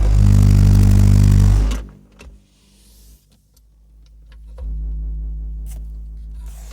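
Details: Car audio system: every time a speaker is moved, a loud deep rumbling hum cuts in, drops away and returns, driving the subwoofer and amp as if at full power; the owner doesn't know the cause. Subwoofer rumble distortion.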